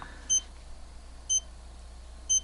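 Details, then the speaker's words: Seiko The Great Blue 7T62 chronograph alarm dive watch, alarm tested before battery replacement while showing the low-battery indicator (second hand ticking every 2 seconds): short high-pitched double chirps repeat about once a second, clean and evenly spaced; normal alarm beep. "This does have an alarm function, which I should probably test. I can't quite remember how to set that function in this watch, but I'll do that at a later date. It should sound like this."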